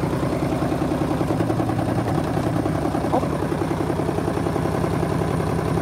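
Steady spin hum with repeated heavy thumps, a bit over two per second, as the drum slams around on an unbalanced load.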